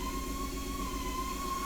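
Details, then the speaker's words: Toyota Supra MKIV running after its faulty fuel pump was swapped for a temporary one, which got it running; steady even idle, smooth low rumble with constant whir, no misses or knocks: normal idle. "we got an idol you'll see I have no fuel in it"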